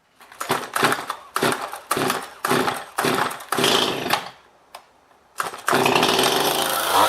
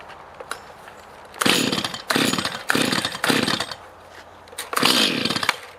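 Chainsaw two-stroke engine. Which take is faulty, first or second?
first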